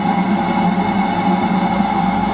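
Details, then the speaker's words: Eberspacher D5W 5 kW 12 V water heater back in boost mode at 54° to warm the water to around 60°: a steady, even combustion roar with constant fan hum, no surging or popping. Normal boost running. "the heater has now gone back into boo just to warm the water back up to around 60° just"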